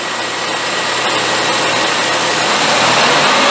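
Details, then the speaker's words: Engine restarted after fuel injector balance test and disconnecting the tester: catches and settles into smooth even idle with steady hiss, no knocks or misses; normal idle. "all right there you go start it right up I am pretty good"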